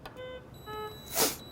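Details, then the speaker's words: Puritan Bennett 840 ventilator power-on, plugged in with gases connected; two short beeps, then a rushing burst as the compressor kicks on to hold 50 psi of air; normal start-up self-test. "You hear the compressor kicks on so that it is fully charged with 50 psi of air at any given moment. So that's the noise you just heard."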